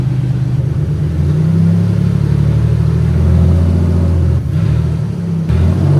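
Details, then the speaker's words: 1995 Pontiac Grand Prix rally car at idle after repairs, coolant being refilled: a heavy, uneven, shaking throb with the motor rocking a lot. Owner notes some parts, possibly mounts, weren't put back on, giving excessive engine vibration. "Okay, start it up. Motor shakes a lot. I didn't put these back on."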